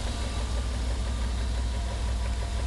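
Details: 1994 BMW 325is (E36), no engine codes, started after a long 135+ mph run: loud rapid ticking over a slightly uneven idle that smooths out above idle; cause not pinned down.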